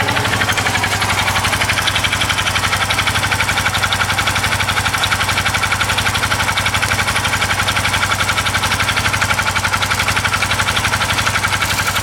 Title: Blowby und nochmal das fremde Motorgeräusch mit ner anderen Kamera aufgenommen